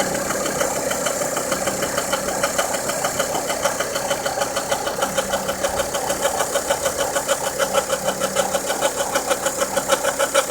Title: Volvo v50 engine noise after timing belt replaced